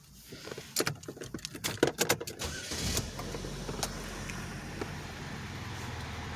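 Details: 2011 Chevy Malibu with a new battery, fixed after multiple-misfire codes and stuck-open fuel injectors on cylinders 2 and 4. New throttle body, intake manifold and sensors are fitted. A few clicks, then the engine catches into a steady, even idle with no misses.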